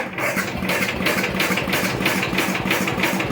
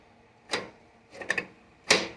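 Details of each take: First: First start of a 1973/74 MTD 990 Briggs Big Block engine after a Flo-Jet carburetor rebuild, choked, trying to idle: it chugs unevenly and dies twice. It is leaking fuel and flooded out, and the owner suspects the float is set too high. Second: 1973/74 MTD 990 lawn tractor with a Briggs Big Block engine, Flo-Jet carburetor being rebuilt: three or four sharp light clicks as the choke plate snaps open and shut. This confirms the choke is working.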